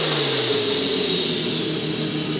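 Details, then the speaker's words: Engine with a new turbo; loud airy rushing hiss over a dropping engine note as air blows back out of the turbo inlet instead of building boost, unlike traditional whooping compressor surge. "But that is all, right now, air just coming out of the turbo. I can feel air blowing on my hands from here."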